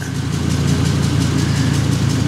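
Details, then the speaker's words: 2005 Ford Super Duty, 6.8L Triton V10 petrol, at idle: deep steady rumble with a faint quick regular puffing tick; owner suspects an exhaust leak, shops say engine noise, and a stethoscope found nothing. "That's what I think is an exhaust leak. The exhaust shops tell me it's definitely not the exhaust that's leaking and that it's an engine noise."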